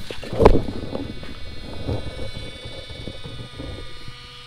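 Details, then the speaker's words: Minn Kota trolling motor after prop replacement and motor/skeg tuning to cure heavy vibration above speed 5: faint, steady electric hum with no vibration or rumble, just a couple of handling knocks, now sounding quiet. "that sounds way better i don't want it i'd rather have it quiet right"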